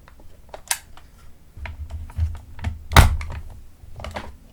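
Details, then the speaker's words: Minolta XL-400 Super 8 camera after repair (battery terminal corrosion cleaned), test film loaded, switched back to regular run: low, even motor hum with light mechanism clicks, and the film can be felt. Normal film transport. "Go back to regular run. Ooh, that felt different. Could feel the film."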